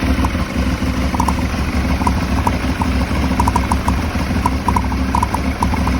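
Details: Aprilia Shiver 750 V-twin at idle: uneven, lumpy beat wandering and stumbling instead of settling, a rough idle; a throttle body problem is suspected, not confirmed.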